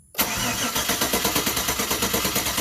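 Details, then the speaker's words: 2007 GMC Yukon V8 after cylinder 1 repair (new DOD lifter, pushrods, head gasket, head refitted; compression up from 5 to 160 psi): clear-flood cranking with throttle floored gives steady even chug, no uneven beats; normal cranking. "so now you can hear it hitting even"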